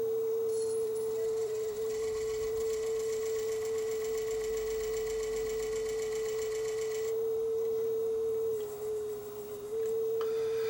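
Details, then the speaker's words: Sony TC-W32 dual cassette deck, about 40 years old, transport complaint: with the belt off, the steady test tone still wavers and sags in pitch. Flutter traced to a visibly wobbling, out-of-true capstan flywheel; bent capstan or bad pinch roller were also considered. "belt off and the flutter remains it could be oh there's a couple things it could be it could be a bent capston could be a bad pinch roller"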